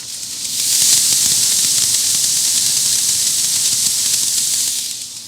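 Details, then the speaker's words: 7.3 Powerstroke IPR valve removed from the engine for an air test at about 5 psi, unpowered: a steady, loud air hiss from the ports holds several seconds then tapers; it passes air freely, which is normal, and stops once 12 V is applied. "so air is going to blow out of these ports right here"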